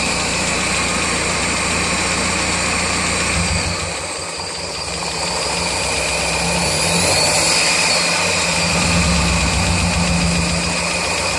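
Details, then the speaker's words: 1999 Miata, tick began after track sessions, unchanged after valve lash set to spec and oil change; steady idle with fast even tapping, three to four beats a second, persisting with #3 injector disabled; loudest above #4 plug, source unclear. "Hear that tapping right there? And if I rev it, usually gets a little louder when it comes back down."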